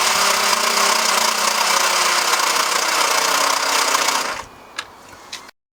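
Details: Lexus IS200 1G-FE manual with reconditioned engine after radiator leak caused overheating and head gasket failure; steady starter churning about four beats a second for four seconds, engine never catches: crank no start.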